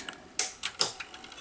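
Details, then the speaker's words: Zenith-branded Sony SL2500 Betamax VCR with 711D chassis, after a full service, in a quiet room: a few sharp clicks and soft whirs as the reels engage. The tape loads, threads and plays normally. "yeah there it goes it's gonna take a little while to detect if it's at the beginning or and yep there we go"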